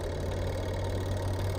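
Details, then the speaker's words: Twin-tub washing machine spin dryer motor, motor and capacitor already good, running after the faulty switch linking it to the door switch was repositioned: steady, smooth low hum with no knocks or scraping; spin dryer working normally again. "Well, friends, you"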